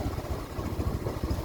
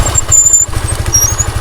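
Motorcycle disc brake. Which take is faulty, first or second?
second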